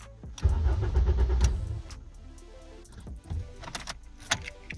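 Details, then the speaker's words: Ford Focus being torn down for a Fusion 2.5L engine swap, 15 A fuel pump fuse No. 12 pulled: about a second of starter churning that dies away without catching; crank no start because the fuel pump is unpowered. "That's good. Let's see, does it even turn on? No, I don't even hear the fuel pump even popping on."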